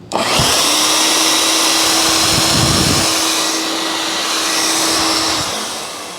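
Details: Shop vac after its noisy motor was lubricated with a little oil and the filters were blown out, retested: smooth, even motor rush with a steady high whine, no grinding or rattle; motor runs healthy.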